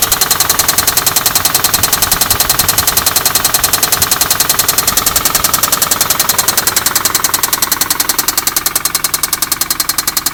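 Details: 2004 Infiniti G35 idling with a hard, rapid metallic knock in time with the engine, 1,000 miles after a shop repaired a lifter tick and found extensive gold-coloured metal shavings in the oil.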